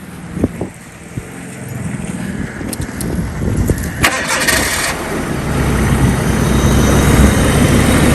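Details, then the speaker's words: Isuzu Piazza after tightening the loose alternator and fitting a new distributor cap: cranks, catches around four seconds, settles to a steady idle, alternator now quiet with no squeal or whine; noise was just looseness. Belt still worn; miss at higher revs remains. "oh that's much better that old remains quiet and right down so that was just because it was loose which is good"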